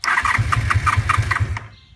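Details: 1988 Honda Super Magna VF750 motorcycle after new, fully charged battery: starter spins the engine in about eight quick, even pulses for a second and a half, then stops without firing; cause not confirmed.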